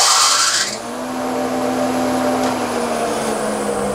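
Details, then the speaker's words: Grizzly 20-inch spiral cutterhead thickness planer with loose link belts: harsh high squeal right at switch-on that drops away as the motor climbs to speed. The belts slip on startup. "so this is my grizzly 20 inch spiral cutter head thickness planer and listen you can hear the belt slip when we start it up"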